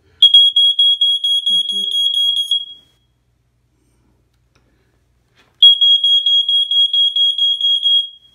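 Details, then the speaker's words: Early-1990s Ventek/Visual Alert FA100 smoke alarm with strobe: loud high pulsing beep about two and a half seconds, silence, then repeats; tone measured as G sharp; sounder working normally. "well as you can see it actually is G sharp so like I said for some reason to me it sounds like a G"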